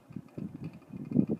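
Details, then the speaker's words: 42" Banvil Hugger ceiling fan on high, with one bent blade and a wobble: low, uneven buzz pulsing several times a second from the motor; owner unsure if bearing noise but thinks the bent blade causes it. "but you can just hear a noise in the motor I don't know if that's like bearing noise or if that's just cuz of one of the bent blades"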